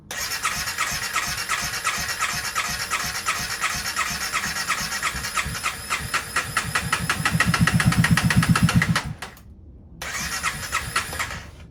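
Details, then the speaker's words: 2016 CBR300R with 1133 miles, parked 7 years with a near-empty tank, on fresh gas with additive and a jump pack: the starter churns at about four even pulses a second without catching and with no pump cycling; the fuel pump is confirmed dead. "Don't hear a fuel pump cycling. Should hear a wor of the fuel pump. Poop."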